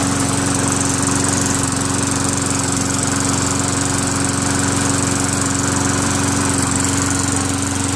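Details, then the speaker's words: Craftsman Eager 1 self-propelled lawn mower with a Tecumseh 5.5HP engine, after a carburetor clean and tightening an over-stretched throttle spring. It holds a steady, even beat with no surging, misses or knocks. Normal running. "well it's all it took just a little bit of a spring adjustment and got it perfect like a kitten"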